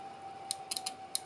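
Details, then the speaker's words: Oven under repair, control knob turned to maximum: crisp dry clicks, about seven in a second and a half, over a faint steady hum; temperature contactor switching normally, fault suspected in the control knob/regulator itself. "ça doit claquer tout seul. Donc, si je mets par exemple, je vais mettre plus fort, je vais mettre à fond. Normalement, il devrait s'enclencher."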